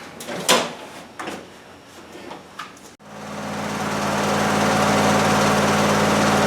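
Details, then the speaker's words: Briggs & Stratton V-Twin on Husqvarna lawn tractor after governor gear and mechanism replacement: engine fires and settles into steady, even hum without racing; previously raced wildly regardless of throttle, now governor holds speed and throttle control restored. "That sounds pretty good. It's a lot better. It's not racing wild as if it's going to self-destruct. We have throttle control again."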